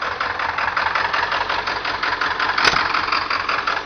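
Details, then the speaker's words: 1997 Ford F-250 XL 7.3L PowerStroke turbo diesel (T444E), about 194,000 miles, cold start at about 49°F: uneven, lumpy idle clatter with a wavering beat caused by bad injectors. "it don't sound good though but that's because that's because the damn injectors are bad on it"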